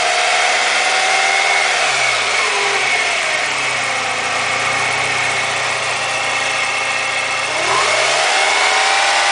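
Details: BMW E36 with M42 engine after a timing chain replacement: steady idle with a fast, light ticking rattle on top and quick rev blips; unusual engine noise, cause unclear.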